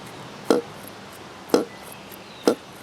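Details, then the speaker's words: Saito FA-82a four-stroke model engine, nearly new and not broken in, OS F plug, on 5% fuel, prop hand-flipped: three flips, each followed by a short hollow burp coming off compression; cause unknown. "Now the thing that I think is interesting and somewhat odd about this engine, I think I've heard it on another Saito before, is it has this strange sound after coming off of compression."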